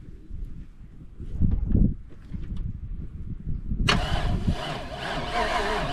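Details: Buggy's cold start after sitting about 3 months following an overnight swamp burial, jump-started after bad-battery trouble: quiet cranking, catches near four seconds, settles into a busy, even idle outdoors; healthy start, though a post-swamp tune-up is planned.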